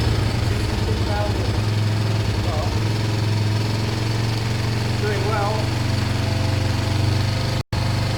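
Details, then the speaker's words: Kawasaki ER-5 twin after wiring cleanup, new fuel hoses and carb cleaning, started on a borrowed battery because its own went flat from cranking: steady, even low drumming at idle with no misfire or knock; running smoothly. "so let's see this should fire up and it should seem ok"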